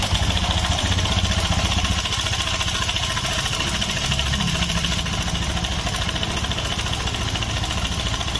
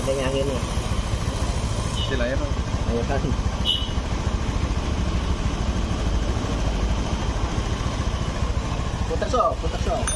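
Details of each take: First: Honda Scoopy (2017–2018) with a rough, noisy engine, idling: an uneven, fast metallic chatter over the engine note, typical of a slack cam chain from a failed tensioner. A rusted, sticking bushing was found, and the front primary pulley nut was overtightened. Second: 2017-2018 Honda Scoopy after repair for a rough, noisy engine: soft, even idle with a steady low beat and no ticking or chain slap; engine now sounds quiet and healthy.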